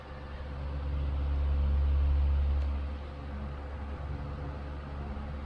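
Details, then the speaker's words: Restored 1938 GE 12-inch oscillating fan (49X929) on speed two (low), non-oscillating, with a vacuum cleaner faintly in the background: a steady low hum with no ticking or rubbing. Normal running. "here it is on speed two which in this case is low speed and it runs beautifully I currently have it on non-oscillating mode also my dad's uh vacuuming upstairs at the moment so there's a bit of background noise but the Fan's quiet runs great smooth"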